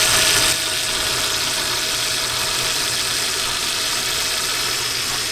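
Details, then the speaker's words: Toyota FJ Cruiser idling with A/C on, whose A/C switch blinks after 1–2 hours; loud, level hissy whir from the noisy A/C compressor, which the owners did not complain about; left running to reproduce the fault. "So ito, hayaan natin maandar para lumabas yung sakit niya. Pero yung compressor niya maingay."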